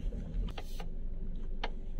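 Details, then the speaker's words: Toyota Camry with electric power steering on a road test, wheel held at full left lock: sharp irregular tek-tek clicks from the upper EPS motor in the steering column over low engine hum; lower suspension and joints checked fine. "kita dapati ada bunyi nah ini itu bunyinya dari feps motor yang atas nah ini FS ini nih Nah dia punya tek tek"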